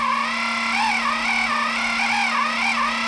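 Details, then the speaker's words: 3D-printed RC outboard electric motor run-in test at low speed; steady whine with slightly wavering pitch, a growl-to-squeak tone, normal low-speed hunting expected from this motor type. "I would expect that from one of these motors not really great at low speed"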